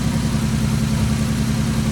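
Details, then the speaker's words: 2010 Ford Taurus 3.5L, 104,000 miles, with water in the engine from the internal water pump: steady, even low rumble at idle with no rod knock or ticking. The engine runs well; normal idle. "now that we know that the this motor runs good it has no Rod knocks or any ticking going on"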